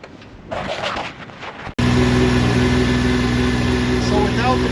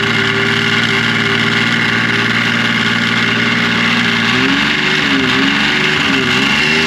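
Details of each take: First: 2005 Yamaha Vector snowmobile after factory clutch rattle repair kit installed, recorded in echoing trailer: steady even drone, clanking and rattle gone, runs smooth and quiet; normal running. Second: 2005 Yamaha Vector snowmobile idling with clutch cover on, never given the factory repair kit: loose metallic rattle from the primary clutch over the engine's steady hum; known factory clutch rattle.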